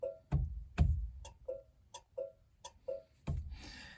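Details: 1966 Dodge Dart GT, Slant Six 225, turn signals after a damaged ground wire was cut out, soldered and heat-shrunk: crisp paired ticks at about two per second in a quiet cabin; normal flasher operation.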